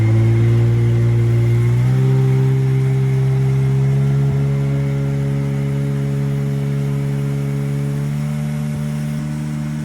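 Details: 1996 Tigershark jet ski two-stroke, revived from non-running, idling from a cold start while cooling water line temperatures are monitored. A steady, even, unbroken beat that settles slightly lower after starting, with no misses: a normal idle.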